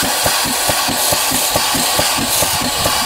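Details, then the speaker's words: DIY waterjet cutter pump test-fired with open ports and nothing to press against: quick, even knocks about twice a second over a hiss, never labouring. The pump cycles freely without building pressure. "so that is why when I hit this guy it's not actually building pressure and it's not actually like cutting the flesh of my hand"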